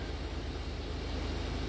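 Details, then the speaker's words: Ford Focus diesel that had been running on 3 cylinders, now with new injectors in cylinders 2 and 4, running mostly evenly at raised revs with a slight irregular stumble from a small misfire at about 1,500 rpm. "That's running alright other than that wee misfire at 1,500 RPM."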